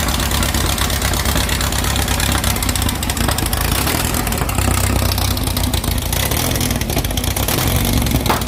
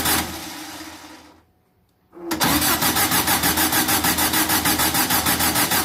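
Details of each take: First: 2332cc "Dust Buggy" bug, cold start after carb removal and cleaning, with fresh oil and a new filter. Initial missing was cured by setting the mixture screws. Smooth, even idle with a steady low beat and no misses or stumbles: normal idle. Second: VW 2332cc engine, early-morning cold start, first firing after carbs removed and cleaned: cranks, catches, then lumpy idle pulsing about three times a second until carb mixture screws are set.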